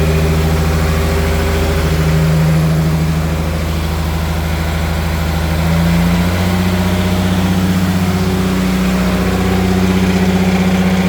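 Steady low sterndrive idle with a light, fairly regular rattle riding over it, about four per second; outdrive rattle, cause not yet found.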